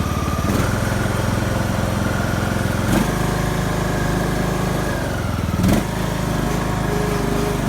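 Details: Craftsman YS4500 lawn tractor, 20hp Briggs & Stratton Intek, after new head gasket (failed beside pushrod chamber, burning oil) and tune-up: steady, even beat with a couple of brief revs, no misfire or stumble; oil burning seems fixed.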